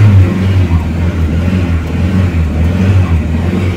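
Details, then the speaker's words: 1989 Ford Pampa CHT carbureted petrol engine, cold after first start with choke partly on, after carburetor kit replacement: light blips rise and fall cleanly with no stumble, second stage opening properly; normal revving. "um barulho bonito ó com a primeira partida frio segundo estágio tá abrindo certinho"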